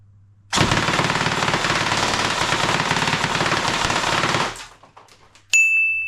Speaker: And it will happily do this all day.